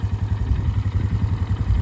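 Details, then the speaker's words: 2008 Polaris Scrambler 500 HO 4x4 ATV in neutral: deep, steady single-cylinder thump at idle with even pulses, no knocks or rattles; healthy engine that starts every time, hot or cold. "But no, it'll sit here and idle all day. It doesn't care."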